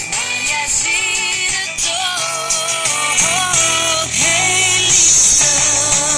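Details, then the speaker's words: Aristona SA1020U tube radio after contacts and tube pins were cleaned and the tuning capacitor bent slightly to cure sound distortion: music plays clean and full with crisp highs, no crackle or distortion; distortion is fixed, though a slight hum was noted earlier. "[Music] perfectly yes the sound is finally uh Distortion [Music]"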